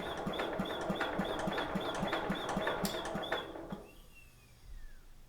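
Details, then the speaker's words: 1953 Economy Country Squire tractor, Briggs & Stratton engine, abandoned 20 years, cranking on the starter. Slow steady cranking with a thin airy wheeze each stroke. Owner suspects a blockage, possibly in the head-to-air-filter vent. "so there's a wheezing noise when you hit the starter you hear that"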